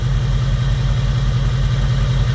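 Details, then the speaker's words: 2002 Jeep Grand Cherokee 4.7 HO V8, coil melting problem: low steady idle thump with occasional soft stumble; cylinder 3 intermittently not firing, intermittent misfire on cylinder 3 ignition coil circuit. "It still feels like it's got a little bit of a stumble. It still feels like she's got a miss. And she still feels like she's not firing on 3. Not all the time."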